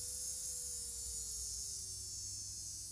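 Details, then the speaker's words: Motor from a burned-out Hornby Class 25 model locomotive, bench-tested off its gear set and wheels at 6 V and then pushed to 12 V: a high, steady whirr easing slightly downward with no grinding, so it spins freely and healthy. "all right six volts and it's turning that's a good sign of course it's very different to hooking it up to the gear set and the wheels and everything but it's a good sign can I thrash it up to 12 yes"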